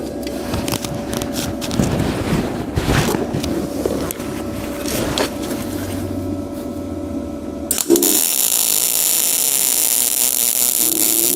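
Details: HITBOX MIG200II welder in MIG mode; after some shop clatter, a steady, even frying hiss of the arc settles in with no popping or sputter, indicating a normal, smooth weld.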